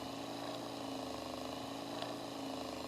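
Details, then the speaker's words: Table-top fan, motor unit exposed with covers off, after a summer of use, slowing and overheating: steady dry grinding hum with a slow uneven pulse; gummed-up, dragging motor bearings. "okay now if we turn it on you can hear it kinda grinding and pulsing"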